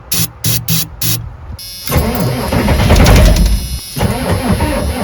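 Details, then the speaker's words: 1986 Ford F350 6.9 IDI diesel with no power at the glow plugs, given a dose of ether: short cranking bursts, then ragged firing and pops that never settle into a run. It fires on ether but won't catch; the glow-plug solenoid is to be tested or replaced. "Well, we just gave her a snort of ether."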